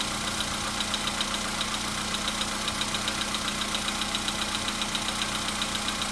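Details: VW Polo Sedan, 101,705 km, cold start, engine not warmed, oil just above mid: brief strange whistle that disappears, then light regular tapping about 2.5 per second over steady hum beginning; cold engine knock at idle, cause unclear.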